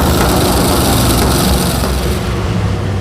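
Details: Rear-engine mini truck with a V8, after correcting swapped plug wires 5 and 7 and finding the burnt wire on cylinder 3 that touched the header: a loud, full roar running steadily without misses, then easing off slightly. It now fires on all eight cylinders.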